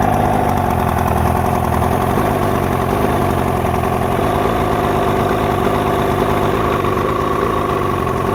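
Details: 1972 Mercury 402 40HP outboard with new water pump working well, rough idle: steady idle with a choppy, uneven beat and wavering tone; cause not evident.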